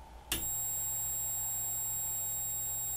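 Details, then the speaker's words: Magnavox MDR515H/F7 DVD/HDD recorder (July 2011) that is dead with no power, heard with the microphone beside it. A steady high-pitched whine starts at power-on, pointing to a switch-mode power supply fault with leaked capacitors and a shorted load. "that's power on here's power off yeah i'm going to say there's a problem with the switch mode power supply"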